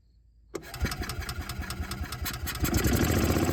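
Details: Bobcat Pioneer (Club Car Carryall) two-wheel-drive UTV, marketplace revival, in neutral with parking brake on: starts, then idles unevenly about four pulses a second with lumpy wavering beat; dies when revved, runs better on choke, cause unclear.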